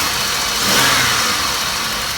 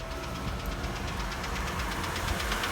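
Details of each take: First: Fleet Chevrolet Malibu at auction with check engine, ABS and brake lights, empty coolant surge tank; earlier knocking and ticking, now engine swells on a quick rev and settles smoothly with no knock or tick; normal rev. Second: Ex-fleet Chevrolet Malibu started cold after sitting: quick, even knock at several beats per second over idle that fades as it warms. Cold piston slap, said to be common on these engines.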